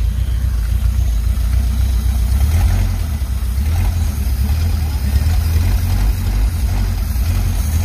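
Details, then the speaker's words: 1951 Pontiac Chieftain straight eight, first run, no radiator hooked up: a steady, low, rumbling idle with an even beat and no knocks or rattles; running normally. "yeah baby she's a [ __ ] Runner yeah W yeah I was definitely very excited when that happened"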